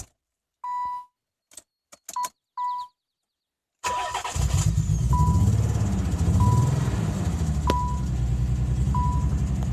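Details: 1992 Nissan 300ZX non-turbo: chimes, then it cranks and catches into a lumpy, uneven idle with one cylinder repeatedly missing; horrible misfire, cause unknown.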